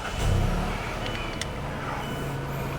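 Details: 2018 Mazda CX-5 after fuel pump recall 5321K pump replacement, first start: engine catches right away with a short rev rise, then settles into a steady, even low idle with no misses or knocks.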